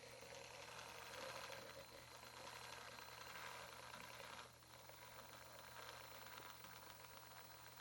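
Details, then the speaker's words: HG P407 Tamiya Bruiser clone RC pickup, Hobbywing 1080 ESC programmed to 16K drive frequency: steady gear and tire whirr, no motor whine; normal quiet running. "And go ahead and power it back up. and no audible tone from the motor except for the actual rotation and the gears and the tires."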